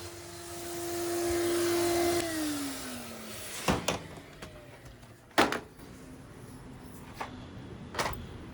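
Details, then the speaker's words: Numatic Henry HVR200 vacuum cleaner with a non-original silver pipe, no suction: strained, steady high suction tone sagging in pitch as the motor slows, no airflow rush; something drawn into the pipe is blocking it partway along. "it sounds like there's something stuck in it, but you won't see anything, and I can see a bit of dust on this end. Well, actually, it seems to have gotten drawn into it, so there's something blocking it along the way."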